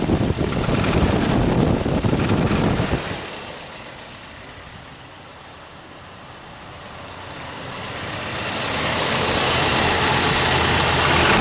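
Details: Toyota 22RE engine in a motorhome: steady idle with a fast, even metallic "death rattle" of about four per second, then revving. A loose rattle from inside the engine, cause not confirmed.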